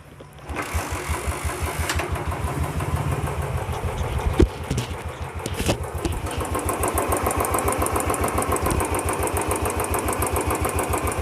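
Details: Royal Enfield Bullet after repair of hydraulic tappet noise and fresh engine oil: catches first try, settles into a steady, even single-cylinder thump at idle with no tapping; runs healthy.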